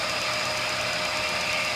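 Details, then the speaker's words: ESO 100 small centerless grinder (100 mm wheel) running its automatic cam cycle, grinding then opening: steady bright grinding hiss over a constant mid-pitched wheel tone, no chatter; normal grinding cycle. "there's also a cycle we can turn on uh there you go wants to do it on its own going around the cam now that's grinding and that's opening go around"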